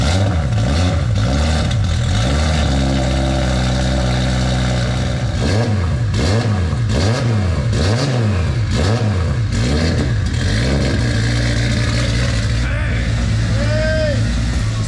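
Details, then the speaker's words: Nissan Skyline R33 RB25, cold start: engine revs up and drops back cleanly with a smooth tough exhaust note and no knock or clatter; healthy, apart from a known harmonic balancer rubbing the front cover. "Woo! It sounds good. That exhaust note's tough."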